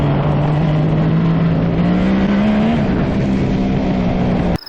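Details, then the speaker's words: 1974 Suzuki GT750 three-cylinder 750cc two-stroke motorcycle, first ride after 30+ years in a barn, flooding fixed so all three cylinders fire; smooth even drone climbing in pitch under acceleration, no misfire or knock; running cleanly. "Man, oh man, I cannot believe this thing runs this good. First ride, flawless."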